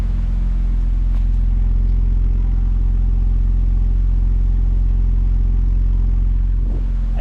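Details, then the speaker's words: BMW E32 7 Series V12 just after the instrument cluster repair: deep, steady, even idle rumble with no misses or knocks, a smooth settled idle, sounding better than before though it stumbled slightly at first. "okay it's so quiet it's stumbling a bit but that sounds"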